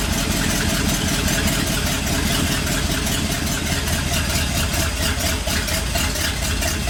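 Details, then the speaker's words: 1959 Ford F100 Special Delivery panel truck V8 idling fast and uneven, lumpy unsteady rumble; idle had been about 1,400 rpm and was turned down, vacuum advance fully advanced may affect idle, not yet warm; rough idle, may need a tune-up. "I didn't think about having the vacuum advance fully Advanced it was going to change the idle it might once it warms up it might run a little better"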